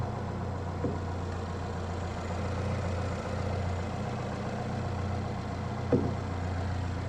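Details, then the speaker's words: Equinox after a timing chain failure, restarted after clearing 16 stored codes; previously in limp home mode with the radiator fan running. Steady, even low idle with a smooth, unchanging beat and no ticking or knocking, fan now off. Normal idle. "Oh yeah. I can already tell the difference. The radiator fan's not running, which it was running earlier."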